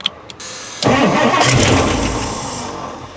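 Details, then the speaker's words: 1960s Ford Thunderbird that sat 16 years, started with a screwdriver and blower motor disconnected, plug wires not fully seated: starter clicks, a brief ragged burst, then fades within seconds; sputter and stall, suspected no gas or clogged fuel line. "There you go. sputtered for a second. That's huge, dude. It ain't got no gas in it."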